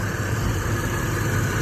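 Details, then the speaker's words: G-body Monte Carlo LS that cranked but wouldn't start, diagnosed as fuel pump relay problem, fuse added: smooth even low rumble, steady idle, no misses or knocks; running normally after fix. "fuel relay problem now she's running back like a champ"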